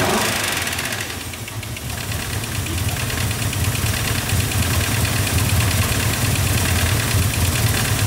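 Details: Mercedes ML500 5.0 V8 running unevenly with a sharp, fairly regular knock about four times a second over idle; compression test showed zero on cylinder 3 of the driver-side bank; knock cause not confirmed.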